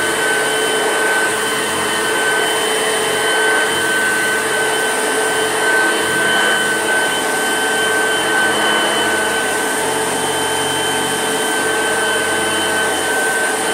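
Smooth, steady whirring with a clean constant pitch and no screech or rattle; the motor runs sweet and healthy.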